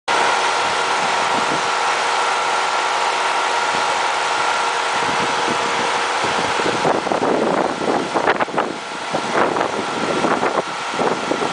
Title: Weird noise when AC is on